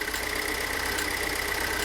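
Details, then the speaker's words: Pontiac Solstice high-pressure fuel pump at warm idle: fast, even rhythmic ticking, sounds fairly normal with no irregularity; owner replacing the pump anyway after scanner and fuel pressure checks. "Warmed up now. Sounds fairly normal. I think I'm going to change it anyway."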